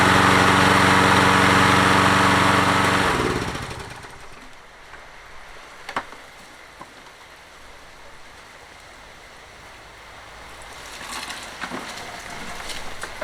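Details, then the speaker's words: Toro 20789 mower with Briggs Intek engine, hot-restart trouble, worn engine; after valve work and reassembly it restarts more easily despite slight hesitation, holds a steady, even beat a few seconds then winds down to shutoff; normal running. "Petite hésitation au redémarrage, mais elle a quand même redémarré plus facilement."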